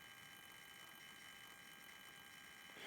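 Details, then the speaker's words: DC/DC converter (108 V traction battery to 12 V, 400 Hz switch-mode) from a 1988 Soleq Evcort EV, which shorted out years ago: faint high-pitched buzz with an uneven rattle from the choke, matching irregular base pulses on a lower-bank transistor. "and you can see pretty clearly that the pulses do match the sound coming out of the choke"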